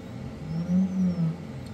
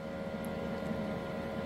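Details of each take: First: AnyCubic Photon M3 Max auto-feed unit not working; steady low pump hum with gurgling swells as air bubbles hard through the feed bottle while nothing comes out, a loose fitting found afterward: heavy bubbling in auto-feed bottle. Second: Anycubic Photon M3 Max auto-feed unit after refitting the missing resin bottle washer for an airtight seal: quiet, steady buzzing hum with even pitch, no sputter or stalling; air pump running normally.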